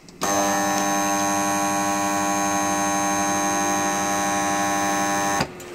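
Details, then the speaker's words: Pool filtration electrical box: steady mains-pitch electrical buzz held evenly, typically from the contactor inside; here the contactor is worn and defective, needing replacement. "Ce bruit-là, dans un coffret de filtration piscine, c'est commun à tous les coffrets de filtration piscine, et généralement le bruit du contacteur qu'il y a à l'intérieur."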